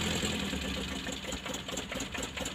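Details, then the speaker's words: Colt T120 that starts poorly, idling before repair: a shaky, uneven idle with irregular ticking and a lumpy beat, as if a plug is dead; ignition points suspected gapped too narrow, giving unstable spark, a misfire. "Dan mesinnya bergetar, ya. Seperti ada busi yang mati. Kalau saya tidak salah, teman-teman. Analisis kami menunjukkan bahwa selisih poinnya terlalu tipis."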